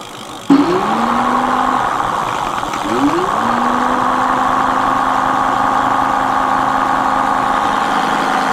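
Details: Mate X 20x4 fat-tyre e-bike geared hub motor, run on throttle after regreasing: spins up twice to a steady hum with gritty whirr; still noisy but better, owner thinks more grease needed.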